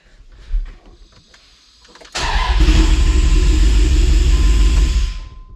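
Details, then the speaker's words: Dodge Dakota R/T 5.9L Magnum V8 with new heads and cam, restarted after fuel pump replacement and distributor re-timing: brief crank, catches at once, steady smooth idle, no knocking, intake hiss from throttle body; running healthy. "sounds good didn't hesitate at all did it not at all she fired right up"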